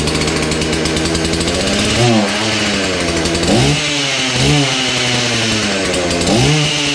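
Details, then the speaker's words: Old Husqvarna 235 X-Torq chainsaw after long storage, primed and choked: uneven idle, then short rev bursts that stumble and sag before picking up; rough running, owner suspects old fuel or an iffy spark plug. "i'm surprised it still fires up i'm thinking there's just a little bit of old fuel in there or maybe the spark plug is a little iffy that needs to be changed up"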